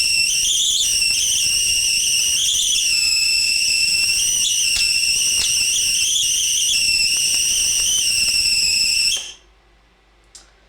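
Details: Homemade HV power supply (claimed 880,000 volts, 8 cm arc gap), negative aluminium disc and sharp carbon positive electrode, fans running: loud, steady high-pitched whistle holding one pitch about nine seconds, then cutting off; normal high-voltage arc.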